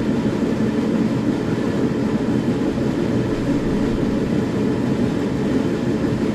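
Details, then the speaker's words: SIPMA roller grain crusher after a DIY repair welding short bead pieces onto a roller, with the gap adjusted: continuous, even rumbling grind with no knocks, squeals or load dips. It mills corn steadily and fast, with rollers perhaps slightly too tight; corn comes out nicely broken. "dobra rzetelne podsumowanie idzie jak pieron ale tu miałem za bardzo jeszcze walce dociągnięcie pięknie połamana kukurydza"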